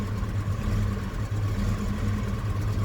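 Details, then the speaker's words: UAZ Hunter started after months of storage at about -6°C, following a week of -30°C frosts, with 105 Ah/1000 A battery: cold engine fires and idles low, lumpy and uneven with misfires but keeps running. "Ну, не очень уверенно. Работа пока с перебоем, но он завелся."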